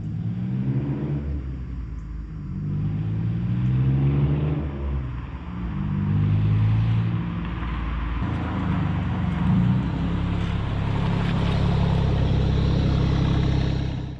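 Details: Supercharged Pontiac Fiero drive-by after replacing a faulty fuel injector, car still a little cold: a smooth rising growl, then a steady drone; the engine sounds healthy and runs a little better and stronger than before.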